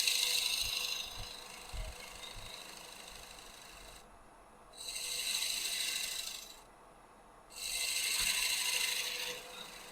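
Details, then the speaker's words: Woodturning a partly dried maple bowl blank, cleaning the rim with a half-inch crown: hissing cuts come in bursts with quiet gaps as the gouge catches only the high spots; the bowl is out of round and changing shape. "It's cutting nice, but it is out of round, so it's changing shape on me."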